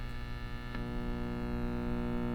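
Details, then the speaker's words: 1952 B.F. Goodrich SD 75 AM tube radio (GE Canada) on a slow power-up at about 90 volts, drawing 30 watts, filaments lit. Steady, loud low hum with a buzzy edge; the filter capacitor is open. "that filter capacitor is open. So that's it's about 90 volts or so. We're drawing 30 watts, and yeah, that filter is definitely bad."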